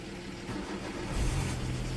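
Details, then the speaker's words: 2004 Citroen C4 1.4 petrol (KFU) with its relay bypassed by a wire fed from the fuse: the engine starts straight away into a smooth, even idle and dies when the wire is removed, confirming relay number two has failed. "on straightaway as you can hear running straight away so we still have the engine now it's going to do something engine is running"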